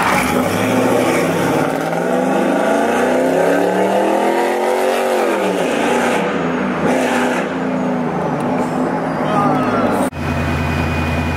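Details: Truck with 1 7/8" long-tube headers, X-pipe, 3-inch piping, two Carven R-series mufflers and lightning-style exits, replacing dumped SLP mufflers that droned inside: deep V8 rumble rising and falling with throttle. The drone is now gone and the exhaust sounds healthy.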